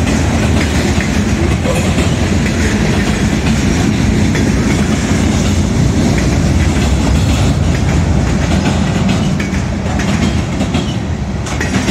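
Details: Southbound CSX freight at South Beech Street crossing, Oxford, OH, passing fast: steady loud roar with constant wheel clacking; onlookers suspect a bad spot in the track, probably a joint gap.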